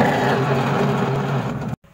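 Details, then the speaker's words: Noisy washing machine running: a loud, rough, steady grinding hum from the gearbox, whose center gear is worn down. "Ayan po ang kanyang gear pudpud na po siya no Pansinin niyo no kaya maingay po an"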